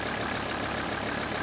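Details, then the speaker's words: 1985 Mercedes 300 turbo diesel wagon, warm, following lift pump rebuild kit, only a tiny drip: smooth even clatter, steady rhythm, no hunting; normal idle, believed fixed. "We did this job right. And I think we fixed it."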